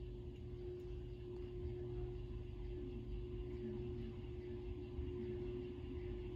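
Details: 1916 Century closed-top antique ceiling fan after bearing work and added lights, running on low: low, soft hum with steady mains-like tone, no scraping or ticking; running smoothly.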